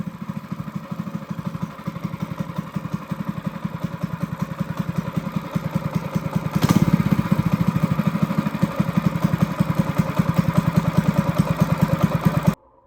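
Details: Honda GX200 clone kart engine, carb jet drilled up to a 77 bit with good throttle response, unloaded: crisp, even single-cylinder beat picking up smoothly with throttle and holding steady without stumbling; normal running.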